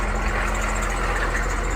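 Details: Humvee after swapping on the starter from the old 6.5L diesel: steady low diesel drone at idle, even and smooth, no stumbling; starter cranked slowly, owner suspects batteries need charging from sitting.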